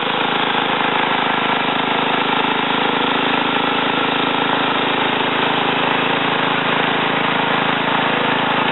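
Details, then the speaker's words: Ariens TA20A Trans-a-matic rototiller after engine rebuild and plate-clutch repair, carburetor untouched, run through ground in a wooded area: small single-cylinder engine runs smooth and even at steady speed, no knocks or misses; normal running. "i'm going to put this camera back on a tripod and then start it start it up and um run it through the ground here a little bit out my little wooded area"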